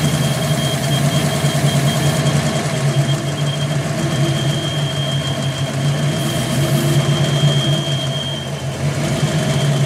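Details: 5.0 V8 idling with a deep rumble and a thin, steady high whistle riding over it from a bad vacuum leak.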